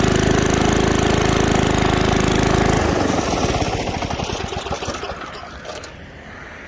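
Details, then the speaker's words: 1978 Billy Goat Winro blower, 5 hp Briggs points engine, low on oil, bottle-fed fuel: chugs evenly about three seconds then shuts off and coasts down; runs decently. "Now, I don't want to run it anymore on that little bit of oil, so it's amazing that it ran. Actually, didn't sound half bad either."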